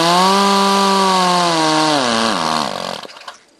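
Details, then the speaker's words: Powerwise ink pump air motor after 1002 spares kit repair, final assembly with split pin tapped in, racing higher from gained compression: smooth steady whir, winds down cleanly when air shut off; normal running. "we've gained more compression the motor is running running real well we've got a real good repair on this motor"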